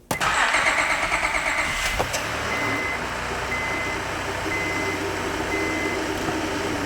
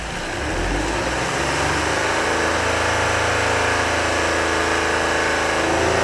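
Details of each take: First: 2005 Honda Odyssey after disconnecting battery to clear codes; crank, quick catch, smooth idle, revs freely to rev limiter with no VSA lights; normal start and rev. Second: 2005 Honda Odyssey, drive-by-wire engine revved from inside; flat strained note that won't climb, smoke increasing, VSA light on, power down; owner suspects clogged catalytic converter restricting exhaust, possibly throttle body.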